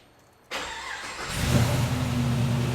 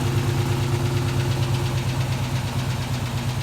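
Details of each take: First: LS-swapped G-body Cutlass after fixing a three-year fuel system issue: short crank, catches within a second and settles into a steady idle without stumbling; starts cleanly, though a little lifter tap is noted. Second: LS-swapped G-body Cutlass V8 after its fuel system repair: steady idle with a light, fast tapping at about three taps a second riding over it; minor lifter chatter, not too bad.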